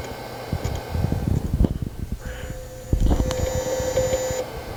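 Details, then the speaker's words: 233 MHz Bondi Blue iMac G3, lavalier mic on the front: irregular low clicks and clunks with a thin electronic whine after boot finishes, then the system freezes; struggling, possibly failing hard drive. "There's that noise. There's that noise."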